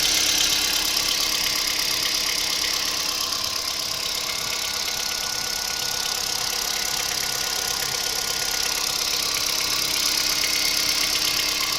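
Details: Kia Picanto 2011 1.2 G4LA, 96,400 km: at idle a fast, fairly even ticking knock of about three per second over the engine. Unexplained engine knock, source unknown.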